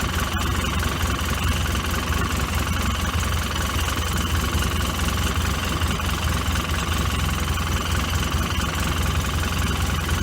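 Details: Polaris 800 two-stroke with rough idle and no power: uneven, lumpy beat at idle before dying away.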